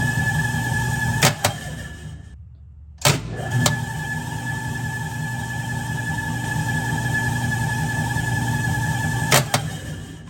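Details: 1967 Logan model 1875 lathe on a Phase-a-matic static single-to-three-phase converter at 240 V, restarted to watch the converter's red indicator light: a steady even motor hum with a faint high whine and a few switch clicks, no knocking or growl. Normal running.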